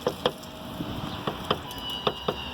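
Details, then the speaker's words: Lada Largus Cross (November 2018) driving: sharp hollow metallic knocks in irregular pairs over bumps. Loose hood rattle, fixed by placing 3 mm shims. "я чуть-чуть р.г. может очень по разным причинам может стучать либо не хватает регулировки натяжения либо что-то просева и бы что-то не поджимает"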